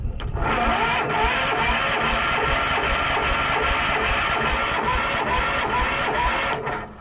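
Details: Case 444, cranked on ether sprayed into the intake: fast steady cranking with occasional stronger pulses, catching but never running on its own; spark confirmed by a backfire.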